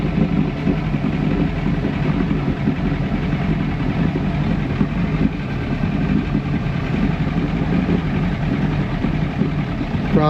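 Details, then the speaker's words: 1996 Force 120hp two-stroke outboard on a Bayliner Capri, after water pump replacement, not fully warmed up: steady idle with slightly lumpy, uneven beat underneath, not running clean; mechanic judges it needs a carburetor job. "It just ain't quite there. I quoted in him a carve job, but See that kind of needs a carb job to me."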